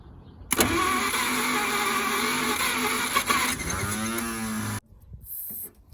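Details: 1950 Packard barn find, unrun about 40 years, with gas poured into the carburetor: fast, steady starter churn, about three beats a second, that never catches before cutting off. Cranks but won't start; cause not confirmed, brake cleaner tried next.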